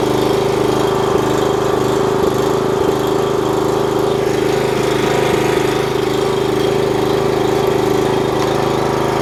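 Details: 4 kW generator under repair, running unloaded on test: steady, even engine drone with constant whine on top, no hunting or misfire; output reads 52.3 Hz at 250 volts, slightly high, running smoothly.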